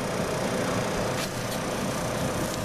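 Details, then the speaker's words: 1991 Ford F250 blower motor, cutting on and off intermittently for days; after a hammer tap it runs with an even whooshing fan rush at constant speed, no grinding. The motor is judged failing and due for replacement, possibly clogged with dust. "There's our motor. Wow, it works. Problem must be the motor. So we'll get that replaced."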